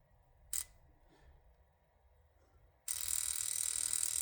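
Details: Toyota Supra (1200 hp) fuel injector, after soaking in gasoline, bench-tested with a cheap pulse tester on 12 V battery and carb cleaner. A sharp click, then a steady hissing spray: the injector flows normally.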